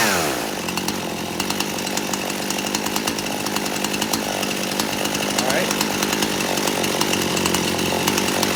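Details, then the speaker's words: Poulan Pro chainsaw after richening the low-speed screw, at full throttle: pitch wavers then steadies as the high-speed mixture screw is turned in until the bog clears. "I'm going to crank this up and you going to see me turning this and I'm going to be giving it gas until it stops bogging"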